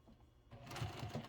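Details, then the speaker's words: Sewing machine topstitching heavy clear vinyl to thin pleather: it stutters, squeaks and drags unevenly as the material sticks under the foot. The sewer suspects presser foot pressure is too high. "I can hear it squeaking as it slides. Oh goodness, that's not a good sound."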